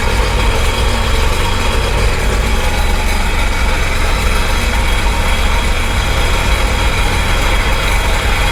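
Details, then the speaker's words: Sea-Doo Speedster jet boat engine on flush hose after no-start, water not yet turned on: steady even low rumble with no misses or knocks; now starts without problem and idles smoothly. "so now it starts no problem"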